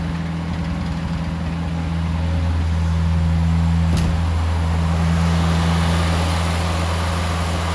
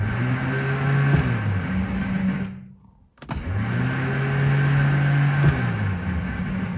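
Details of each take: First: 1970 Morris 1300 (ADO16) barn find, first successful start with the fuel pump connected and the choke held out: an even, smooth idle with no tapping and no exhaust leaks. Owner suspects a fuel delivery or pump problem, possibly low fuel. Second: 1970 Morris 1300 (ADO16) barn find with the ignition bypassed: when hot-wired and tapped, the starter gives two bursts of steady electric whine but never engages or turns the engine over. The starter is to come out for bench inspection; cause not confirmed.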